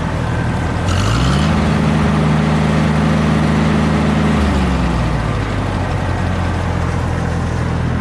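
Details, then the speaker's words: Cub Cadet Low Boy 154 tractor after swapping the two front plug wires back to correct order following a plug change: even note, brief rev, settles smoothly, no skip; running good now. "Those 2 plug wires that I said I thought were self-explanatory weren't. I had them on backwards, the 2 front ones. So, running good now."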